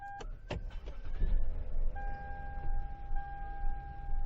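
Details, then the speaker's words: 2005 Lexus GS300 towed in for no start, failed starter replaced: short crank, then catches and settles into a steady idle with a chime over it; clean normal start after repair. "okay so this start that's good it's a good sign"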